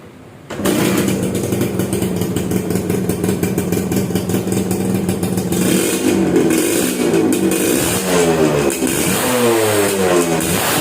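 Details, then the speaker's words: Suzuki Satria 2-stroke, owner complained of heavy, sluggish pull, porting judged poorly done: crisp even two-stroke buzz picking up cleanly when blipped, no rattles or misses; engine smooth and exhaust note fine. "suaranya seperti itu untuk mesin sih suaranya halus ya mesinnya suaranya halus untuk suara knalpot juga cukup oke"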